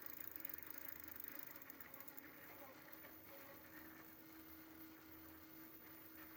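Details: Prophete Entdecker e8.6 e-bike, Bafang BFSWX02 250W 36V geared planetary rear hub motor, about 1000 km after 5 months (3 in use), daily 4 km with 80 m climbs: quiet hum with faint gritty rattle, hub getting noisy, cause unknown.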